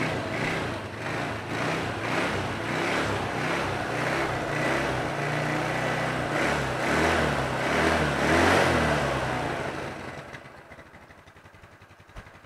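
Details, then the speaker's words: Reassembled Yamaha Mio Sporty scooter engine with its original carburetor, which was previously hard to start. Starts on one press and blips up and back to idle smoothly and evenly; idle now normal. "Oke, cukup tekan tombol starter sekali dan mesin langsung menyala. Bersyukur. Jadi, sudah selesai. Putaran mesin saat idle sekarang sudah normal, teman-teman."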